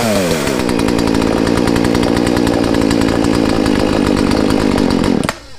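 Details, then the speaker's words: Poulan two-stroke chainsaw after new air filter, fuel line, fuel filter and Zama carb rebuild, high and low jets set 1.5 turns out: buzz climbs to a high steady scream held evenly about five seconds, then cuts off; runs properly. "Well, it started. See if we'll start back up. Well, that's good enough for me."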